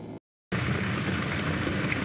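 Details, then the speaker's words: Bosch dishwasher after an E25 code fix (broken wine glass piece cleared from drain, pump reconnected): steady low hum with rushing, gurgling water as the drain pump drains normally. "now you can hear it making noise like it's supposed to be draining"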